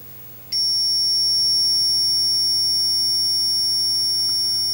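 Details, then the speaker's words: 1980 Atari Missile Command arcade PCB repair: a thin high logic-probe tone holds steady with no pulsing on a suspected data/address buffer chip's enable pin near the sockets, so the probe sees no activity and the buffer is not enabled. "it's not enabled this one is enabled so what is this doing"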